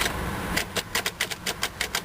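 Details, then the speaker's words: 2004 Jeep Grand Cherokee Columbia Edition at start-up: rapid uneven clicking, about five a second, with no cranking or firing; dead battery, needs a jump box. "It's dead. Okay, we're going to go get my jumper box."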